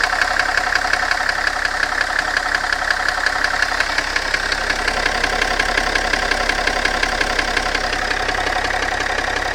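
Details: BMW M57 diesel at idle, knock clearer when hot: sharp, even knock at roughly three per second with crisp ticking on top; engine knock, cause unknown.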